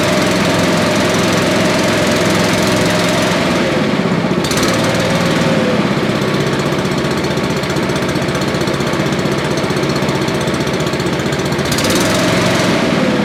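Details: Billy Goat leaf blower with Briggs & Stratton 9.5 hp single-cylinder engine, revived scrap find with sooty plug and low compression, run choked: steady high-speed running with an even, strong beat, no misses or backfires; normal running.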